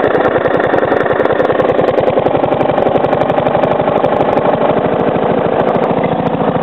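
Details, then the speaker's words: Briggs & Stratton lawnmower engine, 3 years old, fresh oil, after sitting 6-8 months over winter: lugging near stall with a steady rapid knock each turn, muffled at higher revs; owner suspects improper combustion or a worn loose part. "I'm going to slow the Rev down till it like almost stalls itself out so you can hear the knocking cuz when I rev it up you obviously can't really hear it that well cuz the the sound of the engine muffles it"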